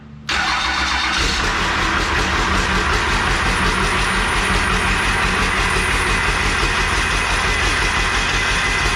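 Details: Used 12-valve Cummins diesel core engine, accident-damaged, started on the floor after sitting 4–6 years, with a new oil filter and primed fuel: brief crank, then a steady, even diesel clatter. Runs normally, but the turbo is likely bad and the fan is touching.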